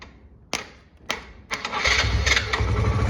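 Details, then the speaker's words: Suzuki Van Van single bought cheap with a no-start problem: two clicks, then it cranks and catches within a second into a steady, even idle when the starter relay contacts are bridged with a screwdriver. Owner blames the handlebar start button. "Et voilà les gars. Donc à démarre en tout cas, il y a pas de problème. C'est vraiment le bouton le problème."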